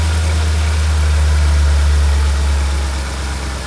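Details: Mercedes SL55 AMG (M113K, almost 200,000 miles) first start after installing a double idler pulley assembly and tensioner pulley replacing the plastic pulleys: deep, steady, even idle with no chirps, squeals or rattles from the belt drive; normal idle.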